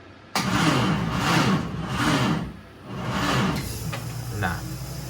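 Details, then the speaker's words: MK1 Ford Fiesta with a Zetec turbo engine swap, first start attempt, cooling system not yet filled: slow, laboured cranking with a few heavy uneven turns that never catch; the battery is flat. "The battery's flat. In all seriousness, guys, I mean, I knew it wasn't going to start then, obviously."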